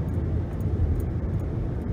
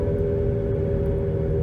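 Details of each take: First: 2011 Nissan Rogue (front-wheel drive) after replacing the wheel hub, coasting at 60 mph: low, even road rumble with no hum, growl or drone rising with speed, no vibration felt; normal road noise, bearing problem fixed. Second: 2011 Nissan Rogue FWD with new balanced tires, road test up to 60 mph before replacing both front hub bearings; steady droning hum with a fixed note while coasting, slight pedal and steering wheel vibration, about 72–75 dB at 50–60 mph; worn front wheel bearing.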